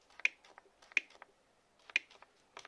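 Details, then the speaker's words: Replacement Parkside black-series cordless reciprocating saw with a fully charged 4Ah battery: the LED lights, with sharp dry clicks in pairs about once a second and no motor hum; tool fails to start, same problem as the first unit. "Se aprinde în față LED-ul. Auziți păcănitul? Și evident că nici asta nu merge."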